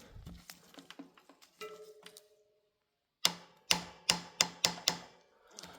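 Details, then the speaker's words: Merida alloy bike with a press-fit bottom bracket: sharp metallic snaps, about two per second, only when shifting gear as the rear derailleur cage swings open. The derailleur clutch/chain stabilizer needs servicing. "okay. So, this is the noise. It will be unbearable. But this one comes up only when you change the gear because when you change the gear, your derailer will open up, right? Thus, this sound."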